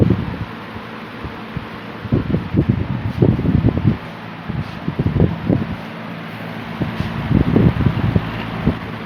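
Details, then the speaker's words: 1950s Worcester Wizard 6JC3020 20-inch box fan with sleeve bearings, before restoration, on low (close to medium speed): steady low motor hum with gusty air rustle, no rattle or scrape; normal. "I will knock it down to low. The low really isn't all that different from high. It's more like a medium speed."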